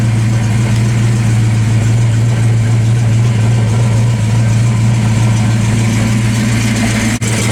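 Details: 5.0 Fox Body Mustang after resetting the tripped inertia switch behind the trunk panel, fuel pump now running: deep, steady idle with an even low hum and no knocks or misses; running normally.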